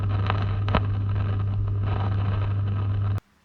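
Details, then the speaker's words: 1939 New Zealand Columbus Model 65 valve radio, unserviced and awaiting recap: steady low hum with slight static/crackle and no station audio; set needs servicing before it will play. "so you can hear the hum that that has the radio is definitely in need of a service so we're going to go through and recap and fire it up and see if we can get it to go"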